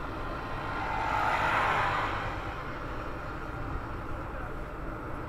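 Steady low drone rises and fades as the car rolls slowly, road-speed linked with no engine rhythm; performance tyres humming on tarmac.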